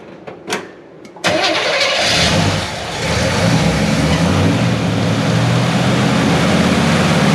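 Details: 1970 Chevy C10 with a 327 small block, HEI distributor and manual choke, cold start before timing correction: short starter whir, fires at once and settles into an even V8 idle with no misses. It normally restarts poorly when hot.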